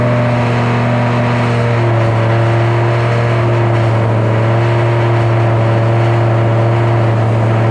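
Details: 2007 GT500 supercharged V8 on its first start after installing L&M NSR cams. A steady, elevated idle hum that never settles, from the initial Venomous Tuning tune; a later revision brought the idle down.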